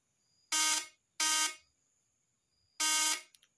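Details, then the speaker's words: Known-good new condenser on a points (platina) vibrator test: three short, loud, even buzzes with a clean, strong rasp and no growl; a normal vibrator buzz. "suaranya langsam atau kenceng dan tidak ngorok"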